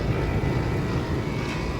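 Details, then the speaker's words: Trane XR13 4-ton 48,000 BTU outdoor AC unit from April 2009, R-410A, after compressor start: loud rough steady roar with coarse rumble beneath; compressor sounds harsh and unhealthy, cause not confirmed. "yeah that compressor really sounds like [ __ ] yeah we got a real shitty sounding"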